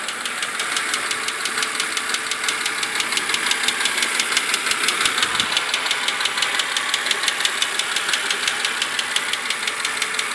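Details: BMW Z4 E86 2.5i 177 hp petrol engine idling with a sharp, even ticking, about three ticks a second, on 0W30 oil; ticking persisted unchanged after switching to 10W40.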